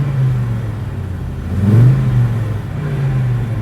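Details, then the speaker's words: 1986 Audi quattro, 2.1-litre five-cylinder, standard apart from stainless steel exhaust, in neutral with 5-speed gearbox: smooth idle rises in one clean blip and settles back evenly, no misfire or rattle; sounds good, healthy. "Oh yeah, it does sound good actually, yeah."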